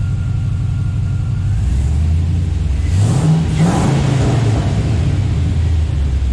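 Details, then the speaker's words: Junkyard LQ4 6.0 V8 swapped into Scout 80, first start after purging aerated fuel rail: deep, steady idle revving cleanly and dropping back smoothly, running evenly on all cylinders with no stumble or miss; normal. "so it's running nice and even on all cylinders now so let's hear what it sounds"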